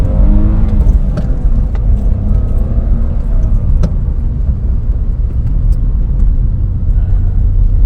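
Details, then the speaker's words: BMW E46 320i with a new drift-spec ZF LF30 power steering pump and stock exhaust revs smoothly with no whine rising with revs, unlike the old whining pump; steering feels slightly lighter. Quiet power steering pump. "But finally, there's no whining. It's strange. The steering seems a little lighter than before."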